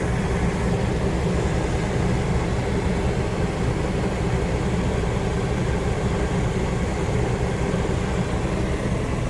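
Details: New Coleman Mach rooftop AC on a Kenworth T660 with a 144-inch ARI Legacy II sleeper, after installation with filters and cover back on, set to auto: a steady, even roar of compressor and fan with no rattles or surges. Normal running.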